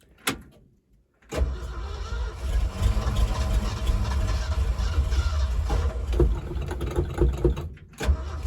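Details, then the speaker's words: 1975 Ford F250 with FE 390 V8, 4-speed 4x4, on its first cold start after 30 years sitting: lumpy, stumbling, surging idle that misses on some cylinders. Cylinders held transmission fluid and the plugs were just changed. Owner guesses stuck valves; fuel pumps out of the carburetor with fireballs. "I'm going to guess valves are stuck. The way it's pumping fuel, it looks like it's out of the carburetor and shooting fireballs and things of that nature."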